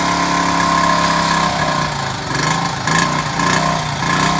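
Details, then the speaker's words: 1978 Honda Z50A mini trail dirt bike, cold start with fuel valve open and choke on: steady, slightly quick single-cylinder idle, even with no misses; fast idle on choke, running fine. "so we'll crank it and see what happens so it runs right now and the choke is on so it's running a little bit"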